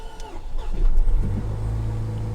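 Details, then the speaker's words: Salvage Range Rover at an auction yard: the starter cranks briefly, then the engine catches and settles into a smooth, even idle; it starts and runs normally. "see we fired up uh well as lista is a running drive try this again"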